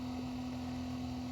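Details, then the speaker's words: RV macerator pump on a 1996 Country Coach after the black water tank has emptied: a steady high unloaded whir with no gurgle or slurry load. Pump running dry. "good to let your pump run dry but i just wanted to let you guys kind of hear it when it does go dry"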